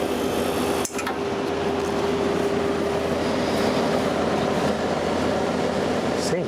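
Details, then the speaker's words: Pope Dove vintage window air conditioner after regas with R152a, running at about 5 amps; steady even hum with faint constant tone over fan air, refrigerant heard bubbling/boiling through; runs normally. "you hear bubbly boiling here it's boiling through everything"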